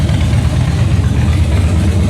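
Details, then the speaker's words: Salvage-auction wrecked 2013 Harley-Davidson Heritage Softail idling before a short test ride, a little oil added; deep, loping V-twin idle, even and strong, no knocks or rattles. Sounds real good, normal idle. "It sounds good, guys. I ain't going to lie, she actually sounds real good."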